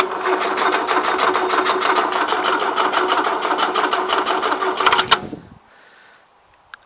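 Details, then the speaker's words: 1977 Gravely GMT 900 tractor, no-start: steady chug-chug cranking at about three turns per second that never catches, then cuts out as the battery runs down; the weak battery slows the starter. "pretty much I've run the battery down at this point"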